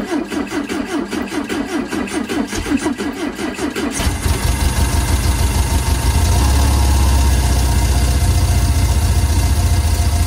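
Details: Steyr Puch Pinzgauer 710M after long storage with fuel starvation, fuel pump rebuilt and primed: four seconds of steady cranking, then it catches cleanly into a strong, even idle and revs with no misses. Fixed, runs fine.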